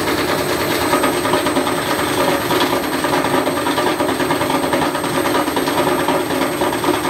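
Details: Candy Grand'O Vita tumble dryer on a fitted washing machine motor, belt re-tensioned: loud clattering churn with irregular bangs as the overspeeding drum bashes about, white wiper pieces being cut off the plastic front piece.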